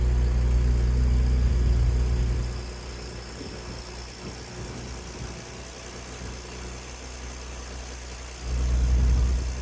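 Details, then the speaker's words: Ford Ranger truck (turbo) after installing equal-length downpipes, V-band flanges and high-flow cats: deep exhaust rumble blips up, drops to smooth steady idle, rises again; clean, no rattles. "Wow. That sounds good. I wasn't expecting it to sound that good."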